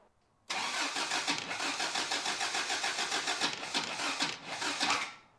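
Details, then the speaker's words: Toyota pickup, first start after head gasket job and reassembly of abandoned engine: starter whir into rough, lumpy catch with uneven pulses, then dies; ignition timing off, distributor stabbed about one tooth off, needs turning one tooth. "I don't like those noises. Distributor all the way the other way. Well, that was better. We're gonna need to spin the distributor one tooth."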